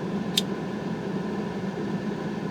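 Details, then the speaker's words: Citroen CX GTi heater blower on full speed after a fix: steady even airy whoosh with low hum, no rattle or scrape; sounds very different than before, though still not strong. "so let's go ahead and start that fan up once again see if it makes any difference so it sounds very different in here it's still not a hurricane"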